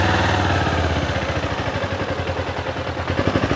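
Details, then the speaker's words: Kawasaki Ninja motorcycle, hot engine that is hard to restart once stalled: idles with a loose, uneven slapping clatter like valves hitting, about three knocks a second. "Suaranya mesin ini ada suara aneh seperti katup menghantam nih, plak plak plak plak plak plak plak begitu mas bro."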